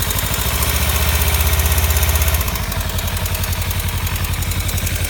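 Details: 2015 Kawasaki Ninja 300, warm idle after short riding: light, fairly even tick about four per second from the top end; started a month or two ago, owner suspects cam chain tensioner or loose exhaust header bolts, unconfirmed.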